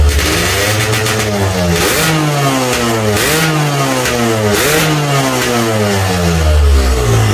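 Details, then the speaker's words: Standard Yamaha RX King two-stroke, engine warmed somewhat after a hard cold start: crackles and rises cleanly through quick throttle blips, then settles to an even idle. Normal warm running, not a serious problem. "tuh udah tau mesin nya udah agak panas sedikit jadi karena panas dapat menarik lagi jadi buat temen-temen yang ngalamin kejadian kayak gini nggak usah terlalu parno ya teman-teman bukan suatu masalah berat"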